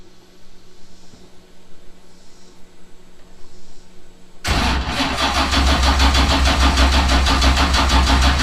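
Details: Fresh solid-roller, dry-sump 427ci LS with Link Extreme ECU on first-start attempt: quiet hum, then steady, even cranking at about three turns a second that never fires; suspected weak battery, ECU possibly cutting out.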